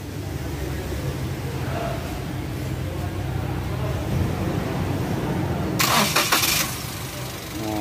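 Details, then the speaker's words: Toyota Agya 1000cc after fan belt replacement: engine cranks, catches quickly and settles into an even, steady idle with no squeal or chirp; the belt noise is gone, normal idle. "sekarang sudah lancar. Tidak ada lagi suara yang terdengar."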